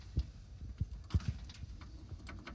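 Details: Mazda 3, rear driver's side coil spring broken at the bottom, rattling over speed bumps and uneven ground: irregular dull clunks, a few per second, as the loose spring end is shaken by hand in its seat.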